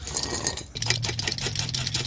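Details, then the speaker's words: Enclosed trailer, passenger-side front hub turned by hand: a dry, gritty rattling grind with clicks on each turn. The outer wheel bearing has failed and got hot; the spindle is still good. "Bearing's definitely gone. What happened to this thing?"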